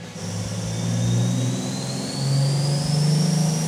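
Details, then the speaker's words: Forged, CNC-ported Ford 300 inline six with custom EFI, turbo on pump gas at about 16.5 psi, full-load engine dyno pull: deep roar climbing with rising turbo whistle, no misses or knocks; clean pull making 702.7 lb-ft and 601.8 hp. "Listen to that thing. Whoa, we can see where that ramps in. Holy."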